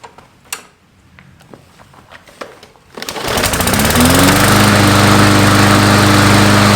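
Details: Small pull-start engine after carburetor cleaning with brake/carb cleaner and fresh gas: a few cord pulls, then catches and runs steadily at about 220 beats a minute without stumbling.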